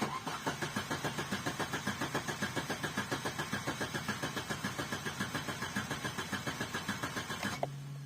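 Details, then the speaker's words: Opel Corsa Z14XEP with check-engine light on: steady starter cranking about 3.5 pulses a second for eight seconds, never fires; spins freely but fuel not reaching engine. "That's the problem I have. So I know it's the fuel. It can only be two things. It can either be coil pack or it can be fuel."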